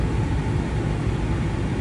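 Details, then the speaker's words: 2000 Toyota 4Runner, started after cooling about 40 minutes, following MAF sensor replacement for long-cranking hard start: smooth, steady idle with even low hum, no misses or hunting; starts much quicker, replacement appears to have fixed it. "se siente bien Yo creo que que funcionó la cambiada del del Master Frozen el sensor de masa de aire"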